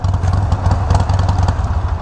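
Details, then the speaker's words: Harley-Davidson Iron 1200 V-twin with Vance and Hines slip-on exhausts: deep, loud, rowdy pulses rising and falling with quick throttle blips, firing evenly and cleanly; normal engine revving. "that sounds amazing that sounds so rowdy it's so deep it is such a deep throttle"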